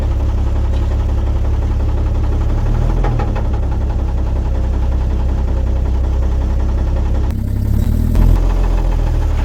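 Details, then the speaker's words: 1950 Chevrolet 3800 one-ton, parked since 1977; owner suspects shims removed and rods ground down by a previous owner: dull deep knock every revolution at idle over low rumble; rod knock. "so they probably took an angle grinder to the rods and just anything they could to get every last little bit of life out of that engine and now we know why it was parked"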